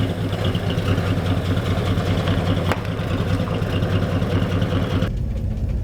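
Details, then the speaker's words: AMC Rebel V8 driven after sitting 35 years: deep rumble with an uneven, loping beat that stumbles now and then, running worse than before; owner suspects an intermittent plug wire, not confirmed. "it started to run worse it used to run better than this maybe we got a plug wire that's kind of coming and going"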